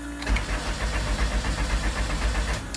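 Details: Honda CRX after new spark plugs, coils refitted, new ECU with chip transferred, chasing earlier misfire: even starter chugging about five beats a second for a couple of seconds, never firing; cranks but won't start, cause unresolved.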